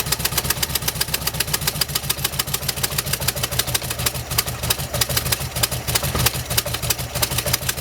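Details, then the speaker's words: 1971 VW bus with a newly replaced carburetor and ignition timing about 4 degrees off: lopey idle with an uneven thump about three times a second. Runs rough like a misfire; plugs and wires suspected, not confirmed. "I don't know if it's what's causing it to run a little rough. It's honestly running like it has a misfire, so maybe it's about time to do some plugs and wires."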